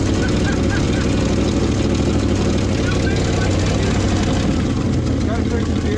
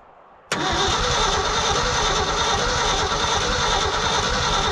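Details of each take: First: Old hybrid Ford F350 bumpside V8 that sat since the late 90s/early 2000s, cold weather, temporary jerry-can fuel feed: steady, even, deep idle with no knocks or misses; normal idle. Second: Old hybrid Ford F350 bumpside truck sat 30+ years, cold-weather start attempt with points ignition and rugged starter solenoid: fast strong cranking about three pulses a second, never catches; owner suspects no spark, unconfirmed.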